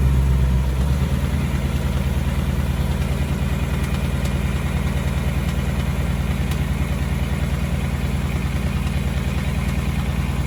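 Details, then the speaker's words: 2018 Ford Mustang GT V8, about 6000 miles, on Mobil 1 10W-30, started and idling: light regular tick about three per second over the idle; the known engine tick, cause not confirmed. "so we're gonna back it out and i'll start it up and you can listen to the ticking noise"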